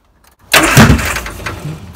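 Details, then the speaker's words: Banham Superbug kit car, first start on fresh battery, firing order 1-3-4-2 checked, coil found loose: burst of cranking with a few uneven coughs, not catching yet; close to running. "Coil's loose. Not a good thing. Not busy a tweak. She's trying. I don't think we're too far off."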